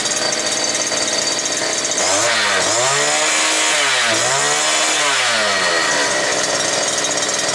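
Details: New two-stroke brush cutter, previously not starting, running bare without shaft, gearbox or line at full throttle, about 9900 rpm, just under 10,000, judged normal by sound. Shrill, even scream, wavering briefly then holding steady: healthy top speed.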